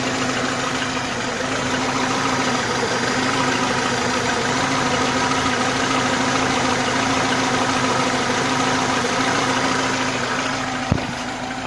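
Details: ИЖ-2126 Ода engine, cold morning start after sitting; steady cold idle with a faint quick tapping, about three a second, over the engine hum: cold-start engine knock, source unknown.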